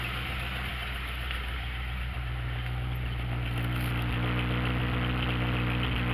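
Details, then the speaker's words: Ranchero V8 after fixing a broken passenger-side exhaust pipe, cold, idling up in drive with park brake set; lumpy idle with a faint irregular pop three or four times a second, owner suspects ignition timing or cold engine. "You hear that kind of funny, kind of popping in it? I think that's timing, I'm pretty sure."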